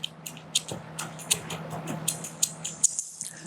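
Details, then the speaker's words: Old mid-1980s Bosch 4-pin automotive relay, 9-volt battery touched to coil pins 85 and 86: crisp, dry clicks each time power is applied; coil and electromechanical side work, though 30-to-87 contact continuity is not yet proven. "That is showing that the electromechanical side of this is good. But it doesn't tell the whole story, because you don't know if 30 power is actually getting to 87."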